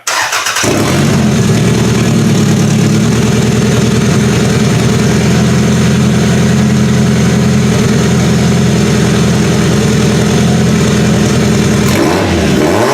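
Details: Toyota Camry engine swapped into a demolition derby car, first start with EGR delete and a new simple wiring harness: uneven, lumpy idle that sounds like over-fueling; owner suspects something is missed, cause not found.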